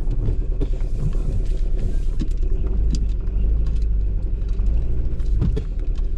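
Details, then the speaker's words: 2001 Toyota RAV4 2.0L 4-cylinder shaking badly and not accelerating in drive, check engine light blinking: deep, uneven, stumbling rumble from a misfire, likely an ignition problem such as a fouled spark plug or ignition coil. "now usually when that check engine light blinks like that and doesn't go anywhere more than likely you got an ignition problem whether it be a spark plug uh fouled out or an ignition coil fouled out"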